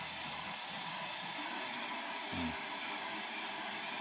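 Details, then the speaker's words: Nankai electric kettle after service, water heating: soft steady hiss with faint low bubbling as the water warms and begins to foam; normal heating toward the boil. "Nyala. Ini mati. Ini nyala. Ini udah terdengar desis-desis air."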